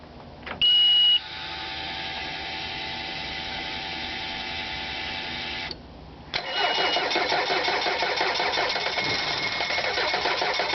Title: Mercury Outboard four stroke 90 hp EFI Hard starting